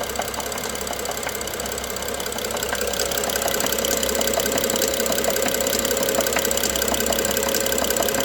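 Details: BMW F07 with N55 engine at idle: steady idle with a sharp light knock about three to four times a second; engine knock, cause unknown.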